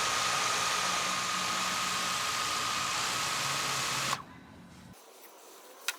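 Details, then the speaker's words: DJI Mavic 2 Pro with DJI stock propellers idling on a table: steady even high whir, constant motor tone, no wobble or buzz, sitting still; normal hover. "okay first with the dji stock propellers and as you can see it's idling in one place not moving at all"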